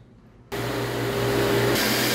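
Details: 1.5 hp 220 V centrifugal water pump with pressurized tank, started after connecting its capacitor: quiet, then the motor kicks straight in with a steady hum and whoosh that settles quickly, so it starts cleanly.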